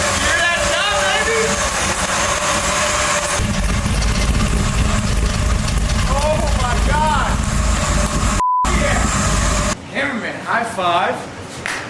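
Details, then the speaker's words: 2002 Chevrolet Silverado 1500HD, freshly rebuilt with a Vortech V3 supercharger and a big cam, first start: lumpy, stumbling, hunting idle, running rich and filling the garage with smoke; barely runs, needs assembly and dyno tuning. "the garage is now full of Rich fuel smoke dude it barely runs barely runs but I heard a blower and I heard a fat cam that's awesome"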